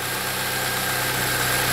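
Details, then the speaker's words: 2007 Saab 9-3 2.0T with intermittent rough running, gas smell and smoke, codes P1682 and P0201–P0204, injectors staying on: even, steady idle with no stumbles or misses as the fault clears and the engine runs better again. "I'm starting to hear the vehicle run better. I can hear it starting to clear up. Everything's coming back to life."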